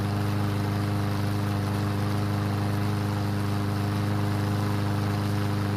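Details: Yard Machine single-cylinder mower that would not start after winter storage, after repair with fresh gasoline: steady beat around 3.5 pulses a second with no hunting. Light smoke and oil mist from the muffler, likely too much oil. Normal running.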